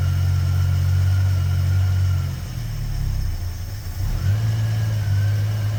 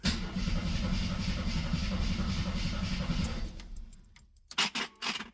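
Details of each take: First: 1973 AMC Gremlin, 30 years in a barn, running cold without choke, ignition wired straight to the coil, carb not rebuilt: steady, low, even idle with a smooth hum and no ticking or knocking; quiet and healthy. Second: 1973 AMC Gremlin, sat 30 years in a barn: strong even cranking at about three and a half beats a second for several seconds, never catches; cranks fine but owner suspects no ignition, possibly mice-chewed wiring.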